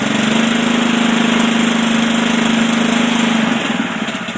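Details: Honda engine on a Billy Goat sod cutter with the gas lever raised: smooth, even, steady higher-pitched hum with a clean rhythm, easing off near the end; healthy engine, normal running at raised throttle.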